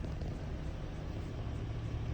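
Steady, even low diesel rumble with no misses, knocks or stumbles; the engine has started cleanly and is idling normally.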